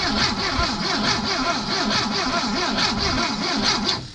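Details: 1973 Porsche 914 with electronic ignition, sitting 3 years, in neutral, fuel pump working: starter spins briskly and evenly, about five compressions a second, never catches; cranks no start, healthy battery, spark unchecked.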